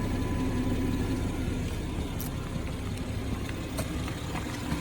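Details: 2017 BMW 340ix F30 with low fuel, in the cabin: steady low engine hum, no thumping from the back seat area after the dealer applied SIB 12 20 19 reprogramming and calibrations; low-fuel helicopter thump fixed, normal running.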